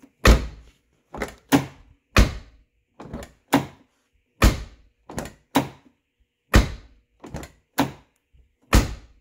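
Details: 1990-1997 Lincoln Town Car door after new striker bolt bushing and silicone lubricant: about a dozen solid, clean thunks, each latching firmly without rattle or scrape; closes normally.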